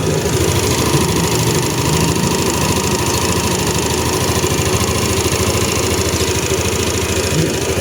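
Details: Yamaha Aerox v2 / NMAX v2 scooter after the fix for a rattle near the radiator side: even idle, a steady low putter with no ticking or knocking remaining.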